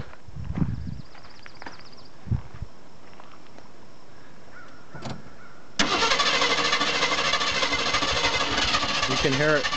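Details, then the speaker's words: 1981 Jeep Wagoneer Limited after new cap, rotor, plugs and wires: engine fires but runs badly with uneven churning, revs a bit higher, then shuts off; owner suspects it jumped timing (timing chain). "we got it fired up and it ran like crap but it rubbed a little bit higher and then it just shut off we're pretty sure it lost timing timing chain"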